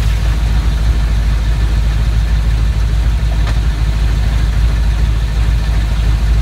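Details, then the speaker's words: S10 Blazer swapped to a 4.8 with a T-5 manual, new U-joints and rebuilt transmission mount, at operating temperature, in gear at idle with the rear end under load. A deep grinding rumble with a rattle under it: driveline grinding. The owner suspects the T-5 interior, or perhaps an axle bearing. "almost sounds like a grinding and I cried a war possibly like a bad axle bearing or something"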